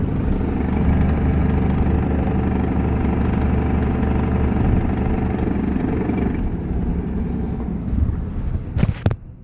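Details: 2001 Cummins diesel while driving: loose, uneven rattle over the engine drone, almost like an exhaust leak; source not identified.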